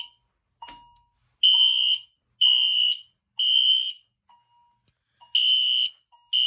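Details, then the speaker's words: Fire alarm test after pulling a Game Sentry M46-3 pull station in the hallway outside the room: shrill horn blasts about once a second separated by soft chime tones, chime heard outside; notification sounding normally. "You can kind of hear the chime outside."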